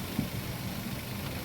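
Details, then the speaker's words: Daihatsu Terios petrol engine after repair idles low and even with no misfire stumbles. Earlier it hesitated on acceleration and under load and lacked power, with no MIL; a fault code pointed to the primary ignition signal from coil to spark plug. Engine now smooth before test drive. "Ya lanjut kita test drive Karena mesin sudah terasa halus kita akan lakukan tes jalan"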